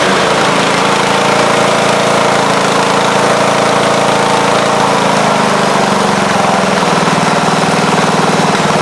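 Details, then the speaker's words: Craftsman riding mower, first start in a couple of years on a charged battery before its engine and deck go onto a Husqvarna: steady, even engine drone with the blade deck engaged, no knocks or misses; runs and the deck sounds good. "Alright, well, she runs and the deck sounds pretty good."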